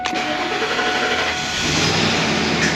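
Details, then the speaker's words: Ford Econoline E-350 service van, 5.4 L V8, complaint of long crank when warm: engine catches almost instantly with no drawn-out cranking, then runs steady; fuel pressure holding, good fuel pump. "That was fast. It didn't even long crank, okay. Good fuel pump."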